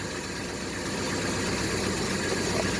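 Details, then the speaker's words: 1967 El Camino 427 big-block with MSD Atomic EFI, about 100 miles since install, first cold start of the morning at 62 degrees: even, steady idle rising slightly over a few seconds, no knocks or misses; healthy. "let me show you the uh temperature 62 degrees this is the first start in the morning"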